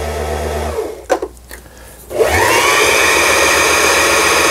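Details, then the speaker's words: Janome-made JF1012 sewing machine, long unused, after repair of bobbin winder (needle moved when pulley pulled out): light clicks then smooth steady motor whir winding bobbin, needle now stationary, no knocking. "북실을 감을 수가 있는 겁니다. 북실을 이제 다 감았어요."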